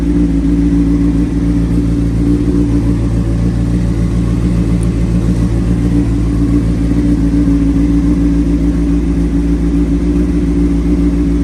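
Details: 2003 Honda CBR600RR with a Yoshimura slip-on, started on a jump box after sitting about three years, idles loud and even with a smooth firing rhythm and no misses or rattles: running healthy.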